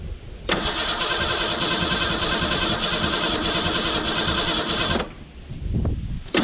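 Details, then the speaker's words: 1991 Ford Ranger STX abandoned over 10 years, untouched fuel system, fuel over 10 years old: about four seconds of even cranking that never catches, no fuel pump hum; owner suspects dead fuel pump or a chewed wire. "i'm also not hearing a fuel pump so that could be why i quit running it too maybe the fuel pump came out or it might just be a wire chewed"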